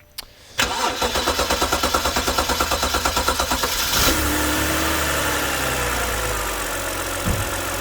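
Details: BMW E90 with a hard start: cleaning the VANOS solenoids didn't fix it. The starter cranks about three seconds, around three pulses a second, before it catches, then idles unevenly, fitting an intake vacuum leak; the torch test got no response.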